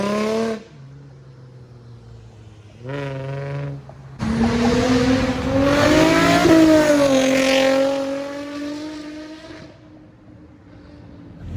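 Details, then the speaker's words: Nissan G35 V6 with Tomei exhaust (test pipes, wide pipe), after the exhaust leak was repaired at a muffler shop: revs, idles and drives past with a clean, smooth tone and no leak ticking. "out out to the new star muffler team for hooking me up with the exhaust leak fix it sounds so much better oh my god i'm so happy"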